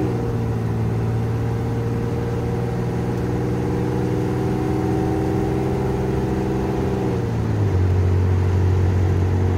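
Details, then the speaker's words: 1987 Chevrolet Celebrity Eurosport 2.8 V6 at 235k miles, after vacuum modulator replacement and a one-turn firmer adjustment: steady drone, then a sharp pitch drop as it finally grabs, still slipping in second. "all right now we made our adjustments let's see how she shifts still slips in second"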